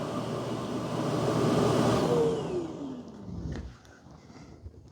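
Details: Dreame X60 Max Ultra robot vacuum docking station auto-empty: a loud rushing suction roar builds for two seconds, then the motor spins down with falling pitch; a normal dock emptying cycle.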